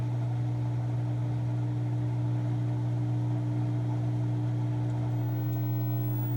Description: The washer can spin manually but when I put it in spin cycle it does not spin and makes this screeching sound.